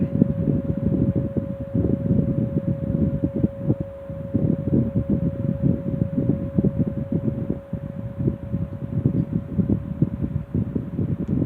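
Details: Restored 1960s Phoenix 16" box fan by Frigid with General Electric motor, just cleaned and serviced, toggle switch replacing the original, started on low and slow to warm up: steady low hum, even airflow, no knocking; normal running.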